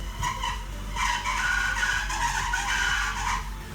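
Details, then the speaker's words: 1986 BMW E30 325e after power steering flush with ATF, engine running, wheel at full lock: wavering high squealing whine pulsing; noise persists, owner suspects the power steering pump or its bearings need lubrication or replacement. "And still making that sound."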